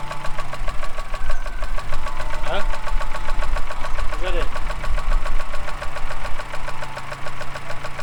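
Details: Mini R56 after the starter motor was removed, cleaned, regreased and refitted: the engine runs with an even, steady beat and no knocks or misses, settling into a smooth idle after a clean start. The engine was overfilled with oil.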